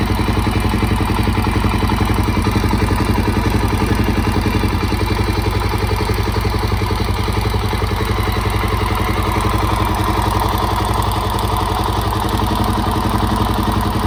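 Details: Suzuki DRZ400SM after a top-end rebuild, warm: a steady single-cylinder idle with an even light tick about four times a second. It is the normal automatic decompressor; valves are in spec and timing marks correct.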